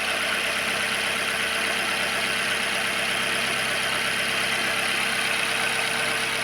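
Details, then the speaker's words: Car engine at idle in neutral after replacing a bad ignition coil that caused a P0300 misfire, check engine light still on: even, steady idle hum with no stumble, loud hiss on top; engine no longer shaking, running smoothly. "So, I hope you can see this. No more jumping around of the engine. Everything works just fine."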